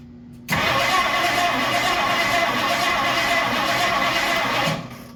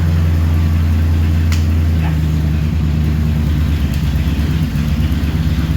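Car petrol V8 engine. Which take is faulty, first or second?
first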